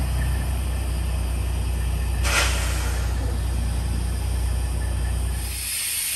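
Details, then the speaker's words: 1987 GMC General converted to an RV, idling diesel with a leaking front drive axle air brake relay valve that can't hold over 100 psi, only 90–94; steady loud hiss of escaping air over a low diesel rumble. "You can hear how bad that leak is. In fact, at idle, I couldn't get the truck to maintain over 100 pounds of pressure."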